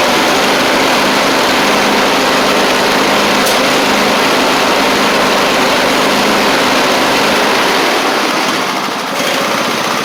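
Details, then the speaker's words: Husqvarna YTH24V48 riding mower V-twin engine after a quick carb clean, smoking heavily; buzzing loud and ragged at steady speed, slightly improved but still rough running, cause unconfirmed. "Y'all, it's a smoke show, but I do want to show you that did help it a little bit."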